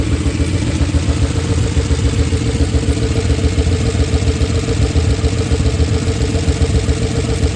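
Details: Oldsmobile Super 88, warmed up, after timing was adjusted by ear (hard to restart when warm since the timing work): busy idle with a loose, uneven clatter and puffing; exhaust shot and missing bolts, owner unsure whether that causes it; rough idle.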